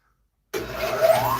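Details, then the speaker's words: Motor starting after the owner fixed its startup scream: silence then smooth spin-up to steady hum, no squeal; normal start, no longer squeals like a banshee. "ah it doesn't squeal like a banshee anymore let me start it up"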